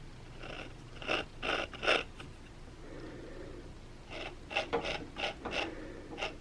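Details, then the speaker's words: LG WM3488HS washer/dryer hot-air circulator fan motor (part 4681ER1007A) spun by hand: rough, scratchy grinding bursts instead of a smooth hum; worn motor bearing suspected, likely from moisture and crud getting in. "Kind of hear that grinding sound?"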